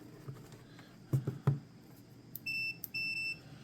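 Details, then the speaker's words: Wisconsin AENL small engine, not run in 20 years, ignition kill circuit tested with a multimeter: two steady high beeps on continuity between the points wire and ground, revealing an unwanted ground causing the ignition problem. "touch them together it'll yell at me so for instance just touch that to there so we are getting a ground out somewhere"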